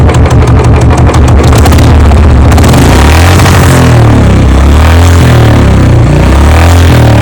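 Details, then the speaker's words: Royal Enfield Bullet just after a service: loud, deep thumping single-cylinder start that catches and settles into a steady, even beat with a brief blip; normal start and idle, owner notes the sound changed a little after servicing. "तो इसकी आवाज़ सुनवाते हैं आपको service के बाद। जो हमारी bullet की आवाज़ है वो किस तरीके से एकदम चेंज हुई है थोड़ी।"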